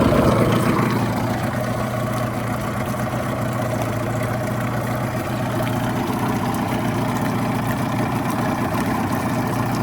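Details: 1989 Yamaha 25hp outboard on flush water with the cowl on, after fixing a flipped fuel pump diaphragm (fuel strainer hairline-cracked). Buzzy two-stroke idle settles after a brief higher start, fairly even firing; running normally.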